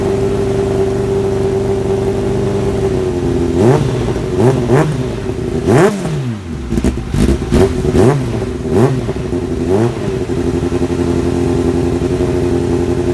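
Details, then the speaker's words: Kawasaki ZX-7R after carb work for idle problem: steady idle, then crisp revs rising and falling cleanly back to a settled idle; more responsive than before, idle adjustment working, old fuel debris suspected as the earlier cause. "um like I say it fired up pretty pretty well um and it's more responsive than it was before"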